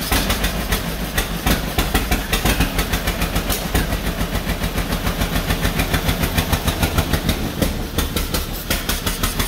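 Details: 1949 John Deere B two-cylinder, first start after rebuild on used spark plugs: popping about 200 beats a minute with uneven spacing and loudness, running rough; owners suspect throttle or a plug, cause unconfirmed.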